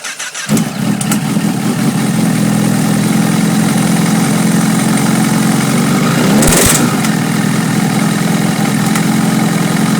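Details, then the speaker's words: Honda CBR motorcycle after engine rebuild with new oil, phone near the airbox; it rattled badly at first start until oil circulated. Busy uneven rapping appears as soon as throttle is applied and quiets at idle: knock under load, cause unknown. "whenever I put any kind of pressure on the gas it would uh very quickly start wrapping and then when there's no pressure it seems to idle without making a lot of noise"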